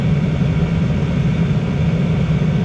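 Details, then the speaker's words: Diesel air heater running with its exhaust pipe removed entirely: steady, even low roar with no surging or popping, combustion stabilized; it began acting up again once the pipe was refitted. "sounds like it's stabilized to run it for a few minutes like this so I'm going to open up the door"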